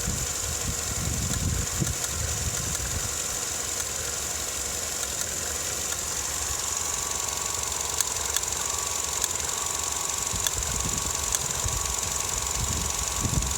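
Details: Vauxhall Astra MK6 idling rough when warm, with an irregular low shake and a steady high hiss on top; it also shudders while accelerating; cause not clear.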